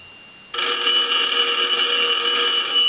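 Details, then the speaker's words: Automatic Electric 3-slot payphone on final check after repair and conversion: fast, even, high bright metallic bell ring, steady through the whole burst; ringer strong and healthy. "but we want to go ahead and start our final check so we'll ring the telephone I'm going to let that go a few times I'm going to let it go one more"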